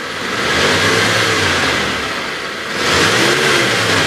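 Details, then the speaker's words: 2013 Mitsubishi T120SS 1.5 pickup, cold engine in neutral, revved to 4000 rpm: two quick revs rising cleanly and dropping back with no rattles or knocks; normal free rev. "ini sampai RPM 4000 saya geber kondisi mesin masih oke suaranya juga masih enak gitu"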